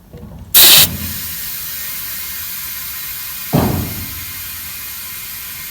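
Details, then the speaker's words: Flat tire: after two sharp bursts, a steady high hiss of air carries on without pause at the valve stem; the Schrader valve core is leaking. "found now if you can hear the air but it's leaking here so valve stem"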